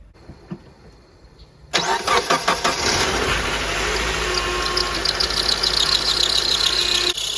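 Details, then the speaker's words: Honda Element after power steering system rebuild, engine just started and steering turned lock to lock; thin high whine over idle that quiets down as the pump quickly sucked the reservoir dry and gulped air: power steering pump running dry. "What I did was I accidentally ran it dry because it sucked all that fluid out of there so quick. That's not good. You don't want to do that for long."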